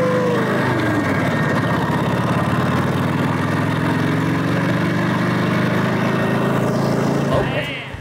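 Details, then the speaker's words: Vintage American V-twin motorcycle, last run around 1992 (about 32 years idle), engine possibly not original, revved outdoors: deep, even thumping with steady firing that picks up smoothly as the throttle opens; normal, healthy running. "it sounds good when you open it up out there it's fast yeah well you can hear it fast man you can hear it"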